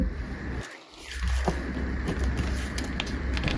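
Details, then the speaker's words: HP Omen 2022 laptop (12800HX, RTX 3070 Ti): pressing lower-left corner of keyboard deck gives quiet crackly creaking; possibly the cooling module, unconfirmed; keyboard deck creak. "器的键盘面的左下角稍微用一点点力就会出现咯吱咯吱的声音，可能是散热模组的一个问题。不过好在无伤大雅，实际使用不会造成什么影响。"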